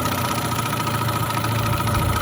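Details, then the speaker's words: Mercury/Mariner 6–25hp outboard (1985–2005), warmed up, idle knob turned fully down: low even putter with light hum, no misses; normal slow idle. "So when the motor's warmed up, you should be able to idle with this all the way down, and it's a nice slow idle like that."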